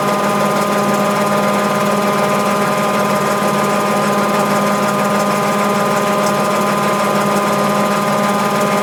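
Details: Mabe 18 kg top-load washer, spin cycle with 110 V applied to thermo-actuator and drain pump throughout: steady even whir, constant hum with some mechanical buzz, no knocks or grinding; normal spin cycle.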